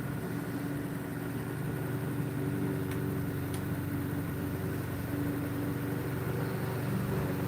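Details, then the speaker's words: Pulse motor with new transistors and five-filar coils (26 gauge drive, 30 gauge trigger) running around 665 rpm: steady low hum with a soft, even pulse and no knocks or rattles, sounding smooth and effortless. "oh man I love it man it's eort It Feels So effortless oh and it sounds so smooth"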